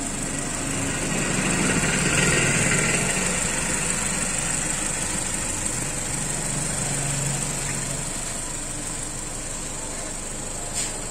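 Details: Mazda CX-3 at idle after blower motor repair (it had been noisy with engine running): steady, even airflow hiss over smooth idle, no squeal, rattle or ticking; blower fan back to normal.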